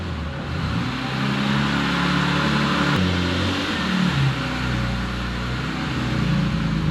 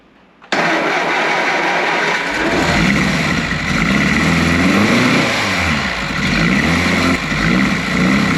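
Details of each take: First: Warm Triumph Spitfire, just revived after many years: idle wavers and hunts in pitch instead of holding a steady beat. Rough idle, put down to carburettors still needing setting up. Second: Triumph Spitfire, spark confirmed before the attempt: starter spins evenly for about two seconds, it catches cleanly and settles into a steady idle; healthy start.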